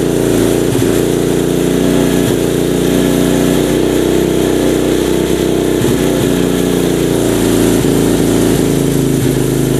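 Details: Mini trail bike with a manual-gear Honda 70-based single-cylinder engine that wouldn't start; after the carburetor jet thought to be clogged is cleared, it holds an even, steady idle with no hunting or surging.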